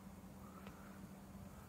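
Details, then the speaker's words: EVGA BQ ATX power supply fan reassembled after its clicking was fixed by removing a plastic molding flash that caught on the stator: a soft, steady hum with no ticking or rubbing. Quiet, normal fan running after repair. "but since i haven't lost it i'm just gonna go ahead and reinstall it and put this thing back together ah nice and quiet now"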